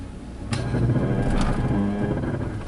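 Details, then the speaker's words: 2007 Chevy Classic 4x4 during a slow-speed test: the ABS pump screams up and runs with the brake switch off and no brake input. Both front wheel speed sensors are not working properly, causing unwanted ABS activation. "So you can see the brake switch is off, but the ABS pump's on. Pump's under there just screaming right now."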